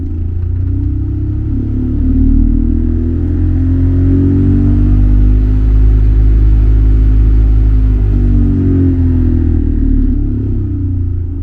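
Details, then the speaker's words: 2013 Ford F-150 Lariat blower fan heard from the cab, noise rising with fan speed: steady deep droning hum with a wobble about four times a second and dash vibration; broken plastic from recirculation door actuator suspected unbalancing the blower wheel. "I'll go ahead and turn it on and that's in its lowest setting and the higher you go the more noise"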